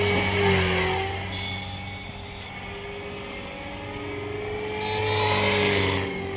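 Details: Trex 450 RC helicopter test flight after a crash, fitted with a Common-Sense RC TR450-35 3500kv 500-watt motor, 13t pinion and a smaller lipo: constant high-pitched squeal over the rotor whir through the flight; bad main shaft bearing, dry or worn.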